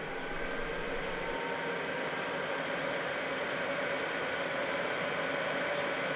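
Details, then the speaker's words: Cheap Chinese eBay diesel night heater, fuel filter previously replaced, cooling down after shutdown while still very hot; fan keeps running, glow plug comes back on: steady even fan whoosh with faint constant tone, no rattle or surging; normal cool-down. "can hear it's now just cooling down it's still very hot the fan will keep going for some time just to make sure everything really has cooled down"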